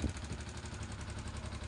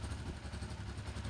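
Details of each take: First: Yamaha Exciter 135 motorcycle idling and slowly revved before valve adjustment: rapid, even metallic ticking from loose valve tappets with about 0.25 mm clearance, later reset to 0.10 intake and 0.15 exhaust. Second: Exciter 135 motorcycle after valve adjustment (intake 10, exhaust 15), revved gently: deep, even beat with no valve tapping, only a faint clutch rattle; earlier harsh noise under throttle gone.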